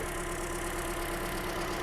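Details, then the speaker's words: 2007 Toyota Corolla four-cylinder petrol idling rough: uneven, slightly lumpy idle with faint irregular beat; inconsistent sound suggests mechanical fault, no vacuum leak heard; low compression. "but before when I was trying to start I already didn't like the sound of the engine you know it's not consistent so I'm already thinking it's it does have that mechanical issue"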